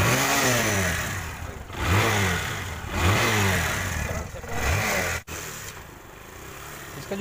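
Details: TVS Star City 110cc single-cylinder bike after repair of exhaust popping misfire, air filter lubricated and refitted: revs blipped up and down rise and fall cleanly, no popping or missing.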